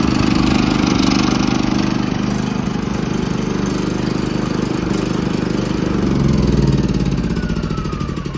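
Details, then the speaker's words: Firman W3650iE inverter generator that starts and runs only on choke and dies when choke is removed; small engine runs unevenly with a wavering, hunting beat that sags and recovers, pointing to partly clogged carburetor jets. "this firment starts and runs with the choke once you remove the choke it dies"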